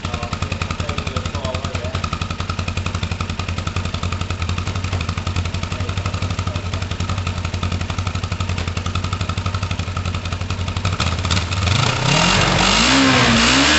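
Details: Kawasaki ER-5 twin at first start-up after carburettor clean: uneven idle with odd skipped pulses carrying into revs, slight misfire; sounds better than before, owner considers new coils.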